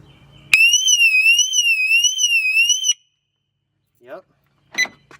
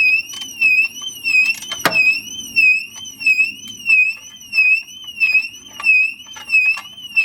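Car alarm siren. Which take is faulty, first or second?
second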